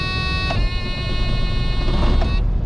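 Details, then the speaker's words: 2000 Freightliner FLD single-axle semi diesel, restarted just after shutdown at about 35°F in snow: brief steady starter whir, catches within about two seconds, clean start; after sitting it cranks about five seconds longer, owner suspects losing prime between fuel bowl and injectors. "right, so that one was fast, but if you let it sit for just a little bit, the starter has to roll over about that RKS express about five seconds longer than it normally does."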